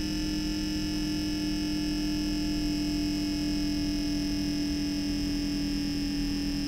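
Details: MSI MEG Core Liquid S360 AIO cooler, brand-new, on a 13900K with MSI Z790 board: steady unwavering pump whine over a soft hum with faint high-pitched tones; pump whine suspected, not confirmed.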